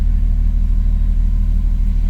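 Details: MK2 Jetta coupe with 3.2 VR6 swap, keeping the exhaust from its former 16-valve turbo setup, idling: deep, steady rumble with an even pulse and no ticking or exhaust leaks; healthy smooth idle.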